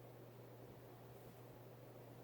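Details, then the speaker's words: Vintage Hunter/Robbins & Myers Original 52-inch ceiling fan, late 70s–early 80s, model 22274, 2.5 A oil-bath pancake motor, freshly oiled: low steady motor hum and soft air rush, quiet with slight wobble, running normally. "want to get up to speed it's pretty quiet a little bit of wobble as well"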